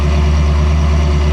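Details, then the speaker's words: Ferrari 360 idling after fixing misfire (previously misfiring, no check engine light, cylinder 7 coil already replaced): deep, steady idle with even low pulse, no stumble or skipped beats; all cylinders firing cleanly, a totally different animal. "I bet you I bet you I can actually rev it without it stumbling, too. Oh, yeah. Son of a bitch. [Music] Yeah, it's like a totally different animal."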